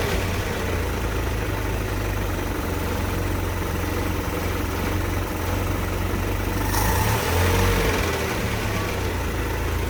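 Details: Land Rover Series IIa on its first start after an engine rebuild: low, even rumble at a steady idle with no knocks or misses. Temperature is coming up and the fuel gauge is working.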